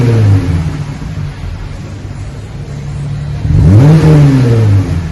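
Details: 2020 Jeep Gladiator, 3.6 V6, after the factory muffler was replaced with a single-chamber V-tube muffler; resonator, manifolds and factory cats kept: deep, even burble, revs up cleanly and settles back. Normal exhaust note.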